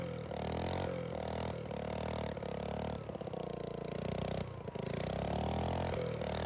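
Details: Tecumseh OHH50 single on a vintage Manco American Express go-kart, fresh rebuild, rigged fuel pump, cold icy weather: revs up unevenly, sagging and stumbling on throttle before picking up; bogs off the line and the owner suspects it needs a bigger main jet.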